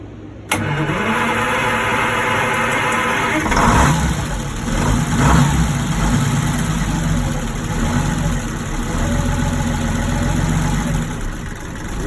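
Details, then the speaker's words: Twin Detroit Diesel 6-71 TBI marine engines (Johnson and Towers), revived after 2.5 days on a non-running boat: diesel catches immediately, blips up twice, settles into steady even idle, no knocks; sounds good, no water, though it doesn't seem to hold its own idle. "Sounds good, no water."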